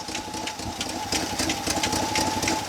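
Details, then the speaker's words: 1965 Chevy C10 with stock 283 small-block: light, quick, irregular tapping over a rough idle persisting with the fuel pump disconnected, ruling out the suspected pump; valvetrain tick, likely a lifter. "you want tell me what you notice I hear clicking Dakota I do here tapping as well what are your thoughts"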